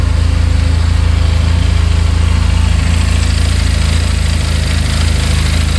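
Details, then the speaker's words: 2022 Benelli motorcycle bought at auction, fired up instantly and idling at 1700 rpm: steady, even low putter with no ticking or knocking in the top end and a healthy-sounding bottom end; normal idle. "No knocking in the top end. Bottom end sounds good."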